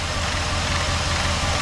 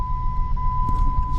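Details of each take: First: Rebuilt 4.7 V8 in 2001 Jeep Grand Cherokee WJ, under hood: smooth even idle on all cylinders; owner suspected idler pulley noise, later found fan rubbing tucked cooling-fan wiring; power steering slightly low; normal idle. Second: 2001 Jeep Grand Cherokee WJ Laredo 4.7 V8, 142,000 miles, first start after rebuild: smooth idle under steady one-note high whine; power steering pump whining because fluid was lost when the hydraulic fan was pulled, fluid top-up planned.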